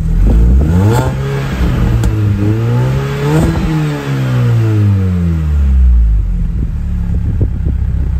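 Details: Mini, engine finally fully warm after exhaust line improvements, boot open, revved harder: clean rising and falling revs, deep even burble with no puffing, ticking or leak rasp; healthy, slightly loud exhaust.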